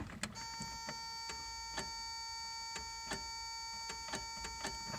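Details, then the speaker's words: 1991 Toyota 4Runner 22RE with an intermittent no-start, aftermarket starter relay kit fitted, battery at about 12.6 V: sharp dry clicks at the key with no cranking; the starter or solenoid engages but the motor won't spin. "all I'm getting so click so let's see we're at drop down to twelve point six should be plenty to turn this over"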